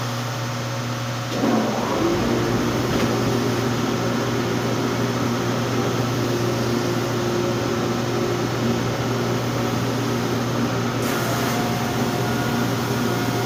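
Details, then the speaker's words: Wide-belt sanding machine with a pneumatic, air-tracked belt, sanding White Oak cabinet door panels with a final 180-grit pass: it starts up into a steady hum with a soft air hiss from the belt-tracking sensor. It is running normally. "so if you hear it you'll hear a little bit of hissing and that is air passing by a sensor that reads the belt as it tracks"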